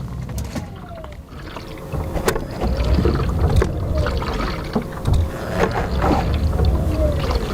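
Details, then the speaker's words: Rivian R1T at about 10,000 miles, driver's door after rain or snow: low sloshing, gurgling and irregular knocks as the door moves, from water trapped inside; enlarged drain vents fitted by Rivian have not stopped it. "Whenever it rains or snows, inevitably water somehow gets inside of my driver's side door. I'm not sure how, but you can hear it sloshing around in there."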